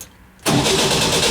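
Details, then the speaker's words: 1967 VW ragtop engine reinstalled with four bolts, nothing else hooked up, testing starter setup: starter cuts in sharply and spins the engine at a quick, even, rhythmic crank with no grinding or clatter; normal starter cranking, engagement sound. "nothing else hooked up yet as you might be able to see so just want to make more sure my starter setup is good"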